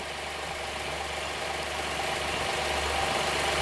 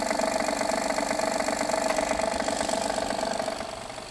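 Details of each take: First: Honda Pilot III (2016) J30A9 V6, warm idle after timing belt tensioner replacement (bolts torqued 12 Nm): quiet, even idle with steady hum, no knock or tick, engine doesn't shake; cold-start knock gone, normal idle. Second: 2016 Honda Pilot III J30A9 V6, cold start, mic on hanger probe; strong fast tapping about four per second over idle, softening, gone after 2-3 minutes, returns after 3-4 hours off; failed timing belt tensioner knock.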